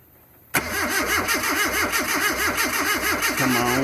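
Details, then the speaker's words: Mazda B2000 truck after intake manifold replacement: the starter churns steadily, about three pulses a second, and the engine never fires; crank no start, owner suspects the fuel pump since no fuel seen, firing order unchecked. "So it's something other than, so I think it's a fuel pump. The fuel pump could be because I didn't see any fuel coming in through the needles at all."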